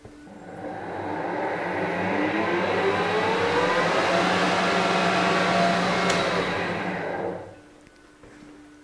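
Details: Harrison HS170 universal mill, main motor test run with gearbox belts on, low range; gear whine over steady hum rising then coasting down; noisy main motor whose bearings needed changing, motor removed for bearing replacement.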